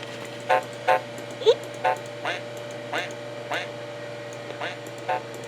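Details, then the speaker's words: 1991 Mac Classic after re-capping the logic board: boots to happy Mac, then sound fades out, returns, and distorts badly, with harsh crackly bursts about once a second over a steady low hum; owner suspects wiring harness or board. "so I don't know what that could be now it's like distorting really badly you hear it"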